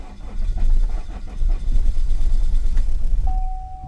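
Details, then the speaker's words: Cheap 2.0L diesel Chevy Cruze: labored, uneven cranking that barely catches, shuddering lumpy running that starts better after cycling the glow plugs, then cuts out to a warning tone; hard start and rough running. "seems like it it likes it better when you cycle the glow plugs oh joy i shudder the whole way down this time"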